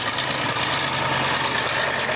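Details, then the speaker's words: Tractor diesel cold-started with a little throttle and an ether injector spraying starting fluid: loud clatter with an uneven, lumpy beat, running rough while still cold. "and that just gets her started now you hear how rough it's turning"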